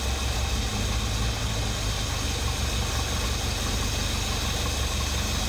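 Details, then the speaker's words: Ford 460 big block with dual exhaust in a 1980 F-350 service truck, first run and break-in, carburetor not dialed in (owner suspects carburetor gasket leak): deep, steady V8 idle burble, even low rumble, no knocks or misses; healthy. "But do enjoy the engine sounds for the moment."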